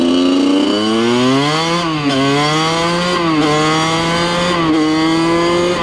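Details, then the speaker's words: 2003 Kawasaki KX100 junior motocross two-stroke ridden under load: crisp snarl rising cleanly through each gear and dropping on each shift, strong even pull; fast, super punchy power band, healthy engine. "This thing is fast. Super, super punchy power band."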